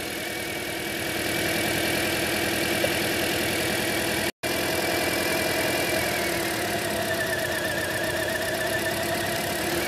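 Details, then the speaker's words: 2010 Toyota Corolla 1.8, P0301, idling with cylinder 1 coil dead: unplugging coil 2, 3 or 4 drops another cylinder, giving rough loping stumbling idle and RPM change; two cylinders misfiring. "but as I unplugged either number two or the number three or the number four there"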